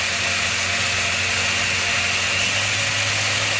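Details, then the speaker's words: Rlaarlo RC car with Surpass KK 60A ESC, Spektrum SR215 receiver and SX5C transmitter, run at 100% forward throttle; steady high-pitched motor whine at full speed with no stutter, grinding or cut-outs; normal full-throttle motor run. "when I give 100% throttle, forward throttle on this transmitter now, it will get up to high RPM, but if I get up to 120% forward throttle on the transmitter, it will get even a bit higher."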